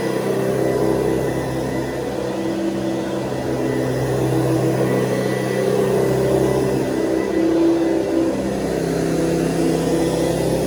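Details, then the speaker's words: 1970s Hoover Convertible upright vacuum (the last model shown), running: a steady, even high-pitched whir, higher than the earlier model's low hum, with no knocks or wavering; smooth, healthy motor, normal run. "Okay, so when you hear this one, you're going to hear the big difference in the sound of the motor, because we go from the sort of low humming motor of before to this sound of motor, which is a little bit more high sounding."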